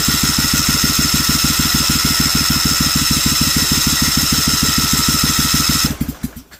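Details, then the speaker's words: Briggs & Stratton Vanguard 16HP twin with rusted cylinders, being revived, fuel pump primed and choke pulled: steady starter chug about three strokes a second for six seconds, never catching, coasts to stop; owner suspects no spark, no fuel drawn. "Almost sounds like it's got no fire to it, and I'm not seeing it pulling any gas down here."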